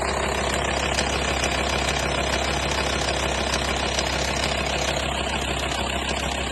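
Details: 2004 VW T5 2.5 AXD diesel at idle: a fast, fairly even metallic chain-like clatter, around 200 per minute, riding over the engine; engine rattle.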